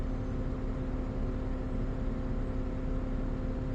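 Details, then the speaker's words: Mercedes 3.5L V6 M276 (C300/E350) with camshaft sensor, intake and coolant temp codes: cooling fan runs at maximum right after start, loud constant roar over idle; ECU suspected as most likely culprit. "And I don't know if you can hear, but the fan is running on maximum. That's actually sometimes a very bad sign that you have a problem with either the front TEMP or the ECU when that fan runs like that as soon as you start the car."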